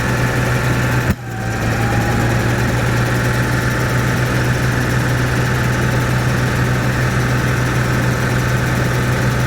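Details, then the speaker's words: Cat 3306 gas engine that won't carry load idles with a deep, slightly uneven popping beat; one cylinder missing, found by pulling plug wires, where number six had no effect. "so I can I can hear it's it's missing right now sounds like it has a valve or something it's popping"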